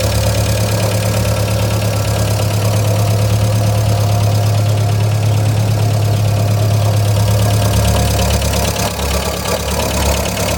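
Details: 1999 VW Gol 1.0 at idle: a steady low idle with a light, fairly even tapping about three times a second over it. The owner suspects a lifter is ticking.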